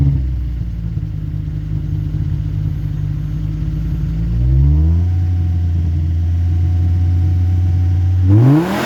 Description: Broken leaking backbox on this 2004 2.4 5-cylinder Volvo. Horrible sound in the low revs, sounds decent in high rpms